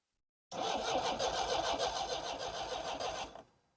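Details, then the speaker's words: 1960s Homelite 55HP outboard after ignition capacitor replacement, spark plugs pulled to check for spark: about three seconds steady cranking, roughly three and a half turns a second, never fires; electrical issue suspected, unconfirmed; cranks but won't start. "I didn't see any but we're gonna try again with this setup maybe the wrong spark plugs are being used this time we're sure not to fail we don't see any spark on this one then absolutely it's an electrical issue so here we go foreign"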